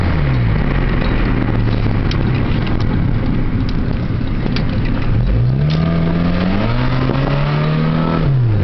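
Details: 1997 Honda Civic LX automatic, at a stop in Drive then pulling away, check engine light for catalyst efficiency below threshold bank 1: deep booming exhaust drone rising with revs; owner suspects the muffler, unconfirmed.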